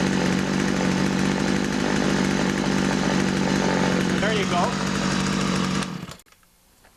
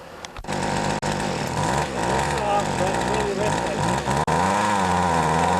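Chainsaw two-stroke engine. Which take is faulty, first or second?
second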